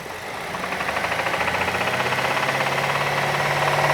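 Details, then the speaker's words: Engine knocking at about three to four beats per second over idle, slightly louder with revs, only when hot and at specific rpm. Oil level and condition are fine. The cylinder-disconnect test changes the knock, confirming rod/main bearing damage. "solamente cuando el motor calienta comienza el Taca taca Taca taca TACA que se Oy allí"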